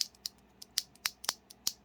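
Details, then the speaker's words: Spring ping from stock, completely unlubed NK Dry Series Yellow keyboard switches before lubing: sharp, bright key clacks with a thin metallic ring after each press. "perhaps you can hear that pinging coming through these are both completely stock they're devoid of lube in any way"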